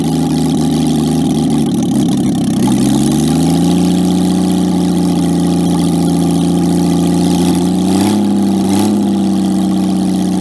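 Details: Jaguar XK6 inline-six after a junkyard rebuild, no exhaust, no radiator (hose from water pump back into engine), in a homemade boat-tail speedster: settles into a smooth, even idle after a brief blip, steady deep note, no knocks or misses; normal idle.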